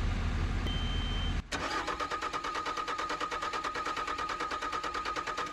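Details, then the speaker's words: 2020 Bobcat skid steer with fault E000157-21 (rail pressure control): rapid cranking, about three beats a second, with no start; the diesel is losing fuel prime and the cold weather bypass valve is suspected. "so you can reverifying at that and I'll pump don't see any more air you're losing Prime here for some reason"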